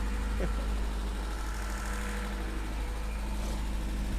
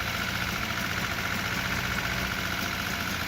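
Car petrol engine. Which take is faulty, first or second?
second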